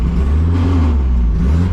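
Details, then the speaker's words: Drift car at first drift event in three years, after a battery died and it resisted going into gear: low steady drone with a wavering growl from the transmission, never heard before; odd gearbox noise, cause not found, later fixed minor issue. "it's making a really weird it's making a really weird sound out of the trans I haven't heard before"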